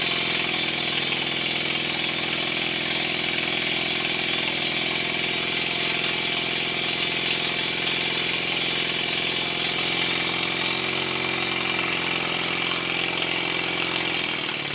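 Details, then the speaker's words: Stuart 10H steam engine running in after valve timing reset (near perfect, slightly retarded), run at high then low rpm: fast, steady hissing exhaust beats with a slight drop near the end; still bedding in but improving. "After running the engine at a high RPM, followed by a low RPM, I can hear that it's getting better."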